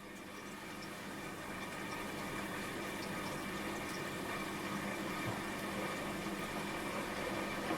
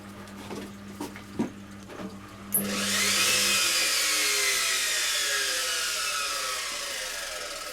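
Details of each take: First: Washing machine after fitting a replacement drain pump, filled to the bottom of the drum and put on spin: steady motor hum with rushing water building over a couple of seconds, even and uninterrupted; the new pump drains normally and the machine now fills and drains. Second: Washing machine motor on spin: the drum spins up with a rising whine under a coarse, gritty roar that stays harsh at speed, sounding even rougher than before; owner plans to fit a spare motor and suspects the board or triac, possibly the tacho.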